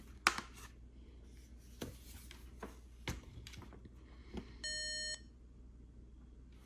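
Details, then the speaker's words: Fujitsu Q552 tablet, powered on during teardown reassembly before closing it up: a single half-second beep at power-on among handling clicks; startup warning reporting a failed real-time clock. "Okay. So, the real time clock failed and I believe"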